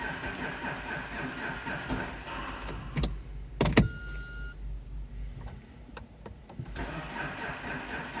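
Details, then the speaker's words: Diesel car that is a poor starter, with a flat battery on a jump pack after two glow-plug cycles. The starter whirrs on and off for several seconds, then the engine catches and idles. Long cranking; the owner suspects worn swirl flaps, not confirmed. "unfortunately, I think the swirl flaps are a little bit knackered because it is a very poor starter indeed."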